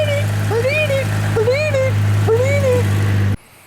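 Engine catches and settles into a steady, even idle with a smooth low hum and no misses; it's running fine.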